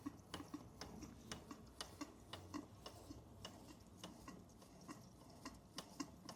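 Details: Bing 10/110 poppet valve steam engine on its original spirit burner, slowed down: soft, light ticking chuffs at a slow, fairly even pace, condensation cleared, under 1 bar (about 10 psi); running smoothly at low pressure.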